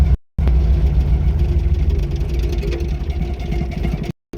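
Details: Wrecked VW Golf Mk1 project car first started after repairing a cut wire, fuel possibly low: deep, uneven idle that sags and wavers about four seconds, then cuts out abruptly; engine stalling at idle.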